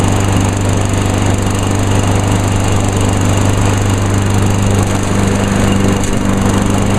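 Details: 2010 Craftsman ez2walk self-propelled mower with automatic choke, pull-started because the electric start fails (suspected electrical fault); steady, even speed with a constant low drone and no misses. Healthy.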